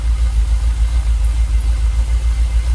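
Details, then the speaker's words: Jaguar XKR, fuel pressure steady at 45 psi so pumps ruled out, idling about 800 rpm: low, steady, even rumble with no misses or stumbles; smooth idle, though it usually stalls after a few minutes. "engine seems pretty happy."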